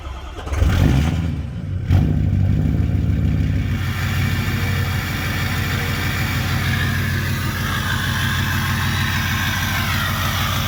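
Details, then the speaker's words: 2006 Ford F250 6.0 Powerstroke diesel just after installing a No Limit cold air intake: short crank, quick catch and rev flare, then even diesel clatter settling to steady idle before warm-up; healthy start. "So, truck is running. You guys heard the little start that she's got. We're gonna let her warm up and go to town."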